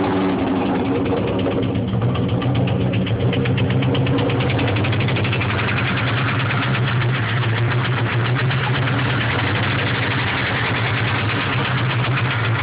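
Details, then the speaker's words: 1996 Mustang Cobra, 81,000 miles, stage 2 cams, idling: rough idle with a sharp, regular metallic knock; began suddenly while driving at 40 with power loss, no check engine light, only ABS light; owner suspects rod knock, unconfirmed. "Right after I passed the cop, car started knocking, lost all power, wouldn't idle right."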